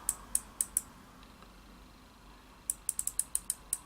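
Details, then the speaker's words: Shimano Baitrunner reel in free-spool with rear tension set very light: sharp, bright clicking in two bursts as line is pulled off the spool, normal baitrunner operation. "I set mine very light can you hear the clicking as the line is taken off the reel"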